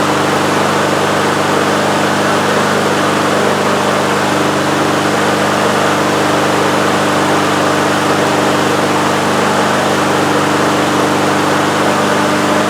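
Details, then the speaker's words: Husqvarna HU800AWD mower, Honda GCV190, started first pull and warmed up with choke fully open: steady even drone with no surging or hunting; running smoothly, an improvement, though not perfect. "all right so that's pretty good definitely an improvement over what we had it started on our first uh first pull which is always nice"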